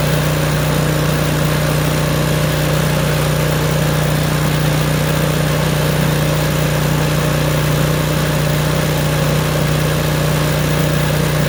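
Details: Craftsman snowblower, about 3–4 years old, small engine just started: popping stopped as choke moved to full run; steady, even low drone with no popping or misses, normal running.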